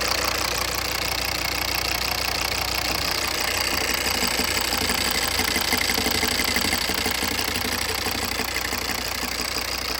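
Diesel at idle with a sharp, regular knock about three times a second over a rattly, buzzing background; the cause needs further checking.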